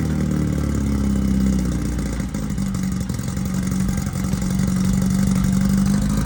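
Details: 1968 VW Beetle rally car, newly installed air-cooled 1776cc flat-four, first start for break-in on a roughly 95° day: steady low rumble with an even beat of about four a second, no knocks or clatter; normal running.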